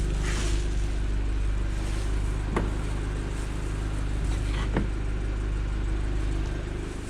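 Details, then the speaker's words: Seat Leon FR 2.0 TFSI idling steady and even, with no stumble, after a test drive; the cylinder 2 misfire persisted after a new coil and plugs and was fixed by replacing the faulty fuel injector. "obroty równo się trzymają silniczek chodzi równiuteńko"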